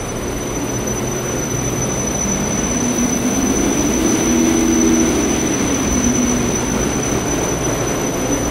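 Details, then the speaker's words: Schindler-modernized Haughton Type 601 DC gearless traction elevator machine, 1200 fpm, 34 floors, Miconic TXR5 controls, heard in the machine room: steady piercing high drive whistle over even hum, no transformer drone because of harmonic isolators; normal running while decelerating. "That's because these have harmonic isolators in them. So the sound is pretty much just the frequency running to the motors. That's about it."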